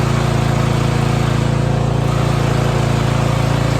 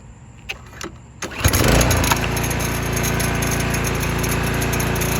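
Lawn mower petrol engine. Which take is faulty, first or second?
second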